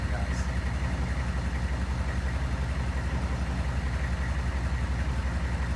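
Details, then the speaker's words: GMC/Chevy OBS 6.5L diesel, 171,944 miles, much idle time, belt too short: heavy idle with a steady low clack about twice a second over the clatter, long thought to be the power steering pump; loose crankshaft pulley slapping on its hub, leaving a shiny mark. "that's this pulley slapping around"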